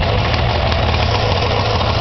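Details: Arctic Cat Puma snowmobile two-stroke started on choke after exhaust leak repair; steady, even idle burble with no puffing or ticking, exhaust sealed and healthy.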